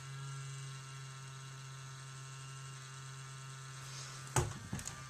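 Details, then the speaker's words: Steady low buzz with a faint whine at constant pitch from a laptop cooling fan that the owner says needs fixing; a failing laptop fan is the likely cause. "So, anyways, sorry, that's my laptop. If you can hear that buzzing."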